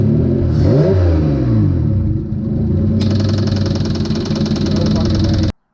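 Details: Replacement V6 engine, freshly installed into the car and run about 15 minutes, revs up then develops a hard, rapid knocking after its first small rev; suspected rod knock, not confirmed.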